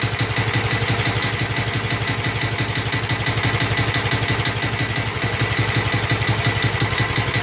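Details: Snapper Hi-Vac commercial mower with Robin/Wisconsin engine, running after carburetor fiddling: steady single-cylinder beat around three pulses a second, even note, no knocks or misses; sounds good, though carburetor leaks and needs a kit.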